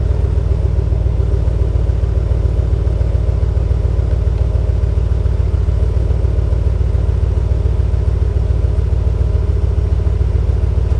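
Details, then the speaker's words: 2019 Ram 1500 Hemi V8 just after a Solo Performance muffler delete, first fire-up: deep, loud idle burble with a quick, even pulse and a faint rasp through the open exhaust; engine runs healthy, normal idle. "let's fire it up in here oh yeah she sounds very nice"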